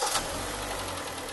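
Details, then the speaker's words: 2011 Kia Sportage 3 G4KD 2.0 L petrol engine, 96,408 km real mileage, revved slightly: dull hollow knock through rough running, piston slap from scuffed cylinders; engine to be repaired. "ну не надо иметь слуховой аппарат чтобы услышать этот стук поэтому будем с вами это двигатель чинить"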